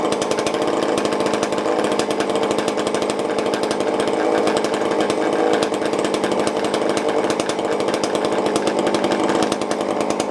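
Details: Tanaka ECS-650 chainsaw after fixing a vacuum leak from a part that had vibrated loose, which made it stall after about two seconds. Retuned, it holds a steady, fast two-stroke buzz at even idle without stalling.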